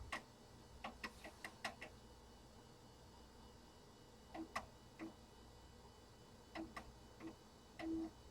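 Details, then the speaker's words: Compaq Deskpro floppy drive formatting a system disk (format A: /S), booted from hard drive; loud clicky ticks in quick bursts with pauses as the head steps, probably the loudest floppy drive owned but working normally. "That drive is so noisy. You guys hear that? Probably the loudest floppy drive I own."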